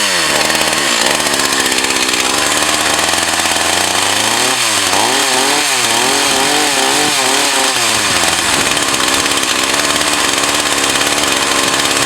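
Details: Echo CS 4500 chainsaw, bought used with unknown history, after carb rebuild, test run behind a garage in wind. Crisp two-stroke snarl rises and falls cleanly with throttle, returns to steady high run without bogging; runs well.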